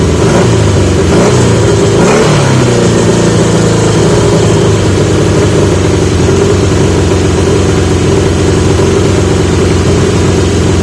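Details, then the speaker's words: 1980 Yamaha XJ650 with new (old) pipes; after a blip revs hang high and steady instead of dropping; idle screw backed off fully, carb throttle not closing fully; owner wonders if needle height. "so that's definitely a carb issue that it's not pushing it's not closing all the way back"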